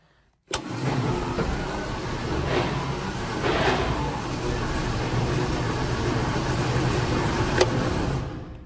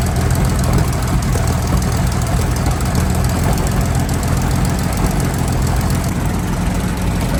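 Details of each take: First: Centurion ARV (armored recovery vehicle) big engine at start-up: cranks, catches and runs unevenly with a hesitant pickup. Owner is not happy with the ignition timing: no power, wants to stall when the clutch is let out. Suspected over-advanced timing, to be double-checked. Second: Centurion ARV V12 after the magneto timing was realigned to the crank: a deep, dense, steady rumble without stumbles or surging. Owner says the timing is right, though fuel pressure is low. Normal running.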